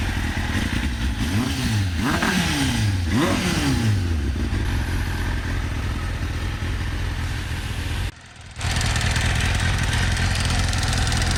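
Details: Kawasaki ZX6R Ninja inline-four after new coil packs and HT leads to cure a clicking sound: three quick throttle blips rising and falling cleanly, then an even idle without stumbling; normal running.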